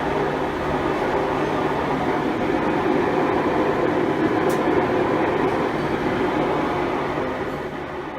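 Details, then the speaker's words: Five-year-old Maytag Bravos XL top-load washer on spin: loud steady rumbling roar, tub grinds when moved by hand; worn drive shaft bearings found, replaced. "I thought I'd do some internet searching and discovered that it was the bearings that were the problem really that's the only thing that can that spins all the time during the spin cycle"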